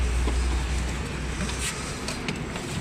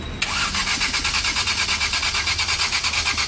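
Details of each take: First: Maruti Eeco BS6 with company-fitted CNG, after wiring repair and DTCs cleared: low, even engine rumble settling into a steady idle with no misfire or stumble; starts with no check-engine light, running normally. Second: Maruti Eeco BS6 with company-fitted CNG, long starter crank after DTCs were cleared: fast, even cranking with no catch or firing at all, and no DTC sets; cam sensor plugs swapped; crank no start.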